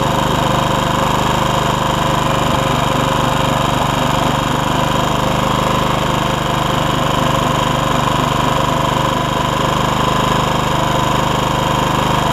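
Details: Honda HR194 push mower after replacing ignition coil (no spark before): fast, steady, even beat with no misses or stumbles; throttle a little lazy from stretched governor spring; normal running.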